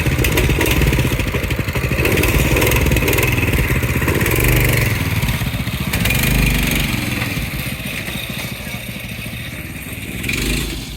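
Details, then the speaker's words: Go-kart with a newly installed carburetor, checked over and fine-tuned: small single-cylinder engine runs smoothly and steadily with a few light revs, no knocks or misfires. "Wow, that sounds good. Come on. [Music] It was running smooth."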